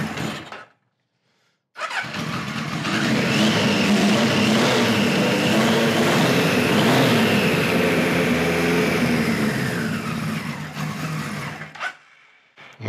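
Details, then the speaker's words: 1973 Kawasaki Z1 900 four after a float needle replacement: catches and revs roughly with uneven pops, then sputters out; points sparking heavily, owner suspects bad capacitors and an ignition fault. "this could very well be ignition cuz them them points are really sparking I don't know why they're spark him but yeah she does not want to run"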